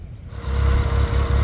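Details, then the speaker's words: 2009 RenaultSport Twingo RS 133 on warm-up idle after new coils, spark plugs and fuel pump: settles into a low idle with a slightly uneven, stumbling beat and the engine rocking; running better but still slightly misfiring. "well it's running better but it's still misfiring a little bit you can hear it see the engine rocking a little bit as well"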